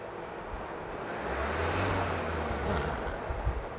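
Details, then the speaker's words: Isuzu D-Max 1.9 diesel, RZ4E engine, after repair of black smoke, high-rpm rev test: soft diesel hum swells smoothly and settles back without stumbling or knocking, under some wind; no smoke now, engine runs properly. "มีรอมตัวอักษรนี้ไม่มีควันแล้วนะขอเครื่องยนต์เดินสมบูรณ์ครับผม"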